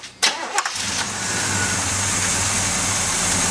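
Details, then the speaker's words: GMC alternator pulley trued on a lathe and refitted: engine cranks, catches and settles into a steady, even run with no squeal or chirp from the belt end; no more bad noises, normal running after repair. "Oh, look. No more bad noises."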